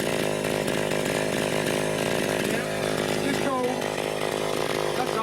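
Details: Vintage Echo PB-202 backpack leaf blower, almost 40 years old, air filter missing, cold and warming up after start: steady buzzy two-stroke drone, even pitch, no stumbling; clean cold idle.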